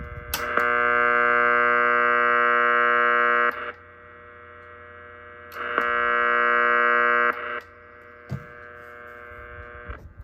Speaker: And with the um amount of interference in the workshop here, you can hardly hear the signal without the noise limiter in.